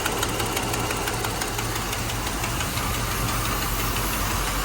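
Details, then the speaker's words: 1985 Mercedes 500SEC Euro, warm, idling in Drive with parking brake set: uneven knocking ticks about three per second over a rough idle, heard from the passenger side, owner doubts it is exhaust; misfire present, cause unconfirmed. "all right so the car is in drive and you hear this noise it's coming from the passenger side"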